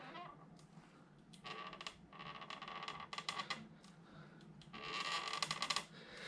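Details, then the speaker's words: Samebike L026 Version 2 e-bike pushed slowly by hand, silent when pushed fast: irregular drawn-out creaking bursts from a dry rear suspension pivot, fixed using a 5 mm Allen key. "there you go that was loud that horrible creaking sound not nice when you're riding"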